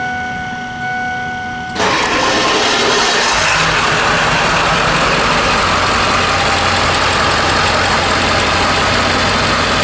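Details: Ford F250 7.3 Powerstroke diesel after fuel filter replacement, primed by electric fuel pump: cranks briefly, catches at once, settles into steady even diesel clatter with no stumbling; normal idle.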